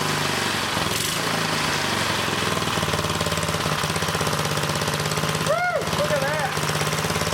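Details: Old small single-cylinder engine running on a roughly 100-year-old Model T priming spark plug, fed from a jar used as the gas tank: a steady, even putter at constant speed with no misses or knocks. The engine runs fine on the old plug.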